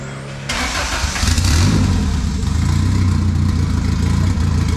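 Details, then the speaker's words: Turbo Honda Civic on a $120 turbo, second start attempt with a borrowed stock ECU fitted. The engine catches cleanly and settles into a steady, even idle with no misses or knocks, before warm-up. "take two i guess there we go that sounds better we got the fuel and everything that's"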